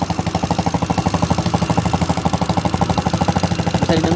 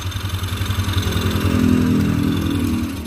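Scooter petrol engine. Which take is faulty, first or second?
first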